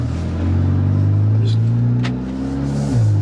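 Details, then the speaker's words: Audi A3 Stage 2 tune with CTS downpipe, very cold day, driving steadily: heavy low booming drone swelling with throttle, floor vibration; loose clamps left midpipe completely disconnected, leaking exhaust mid-car. "yeah so right away I feel quite a bit of vibration in the floor which is what makes me think that there's like a pipe completely disconnected or something down here"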